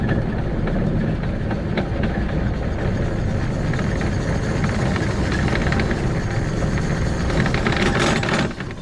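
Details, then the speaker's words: 2006 Arctic Cat Prowler XT 650 H1 after replacing a failed output shaft bearing inside the engine, about 20 minutes of driving later: loud steady rough grinding returns, same as before; cause of repeated bearing failure unknown. "all right so uh got this thing back together everything was good and now it's grinding again doing the same thing it was before"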